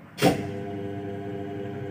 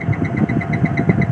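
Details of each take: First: Daikin 8 PK central AC, previously not cooling, tripping its MCB and protecting, compressor heavy; after repair (fault was at the evaporator) it runs a steady even hum with a firm low drone, no trips or surging for almost 2 minutes. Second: Daikin 8PK central AC with a bad tripping MCB, not cooling, and a heavy compressor: steady low hum with uneven lumpy pulsing underneath. The compressor sounds rough and is starting to go bad.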